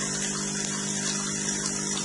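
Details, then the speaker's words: DeLonghi EC270 espresso machine with newly installed water pump, second test with empty filter holder: constant buzz over a steady hum, no rattle or strain; pump normal, water flows and fills the cup. "C'est parti. Le bruit est normal. On attend que l'eau sorte."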